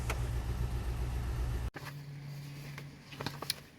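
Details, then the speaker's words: 2005 Chevrolet Tahoe after fixing crank-no-start (harness rubbed through by driveshaft, blown PCM1 fuse; wire spliced, zip-tied): starts, low even idle rumble, no knocks, misses or whine; check engine light remains (P0449 EVAP vent). "Let's see if she'll start. Looking good so far. She started."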